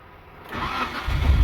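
Brief crank, a short hesitation, then the engine catches and rises into a rough idle; a slow cold start, cause unclear.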